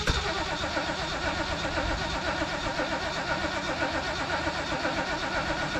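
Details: 1973 Mercury Grand Marquis Brougham, 429 V8, C6 automatic, 55k original miles, sat for an unknown time, fed from a temporary boat fuel tank after a fuel filter change and priming: steady starter churn about two beats a second, no firing; cranks but won't start.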